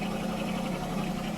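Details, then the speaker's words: Running engine with the air filter breather clamp off and loose: a steady low idle with a hollow, muffler-like rushing underneath as air slips past the clamp; an intake air leak. "that is because that clamp isn't on the uh air filter breather and it's not real tight so it's kind of like getting through there"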